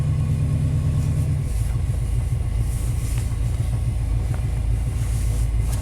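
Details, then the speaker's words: 1991 Chevy K1500 with aftermarket headers, cold start in open loop: deep, lumpy idle loping unevenly about twice a second; runs rough and seems underpowered, cause not yet found; cam timing off a tooth suspected. "I mean, even right now in open loop, it's kind of running rough. I really think they should have more power and run smoother than this."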